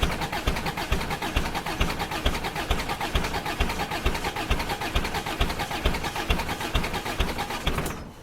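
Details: Old Ford Courier WL-T diesel cold start in summer: rough, lumpy thumping about twice a second as it barely keeps running; very hard starting, glow plugs removed to diagnose, suspected failed glow plugs.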